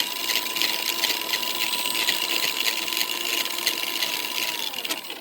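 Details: Red Cat Racing Everest Gen 7 Pro RC motor after lubrication to cure a squeak: steady, even high whine with no squeak, then winds down. Normal smooth run.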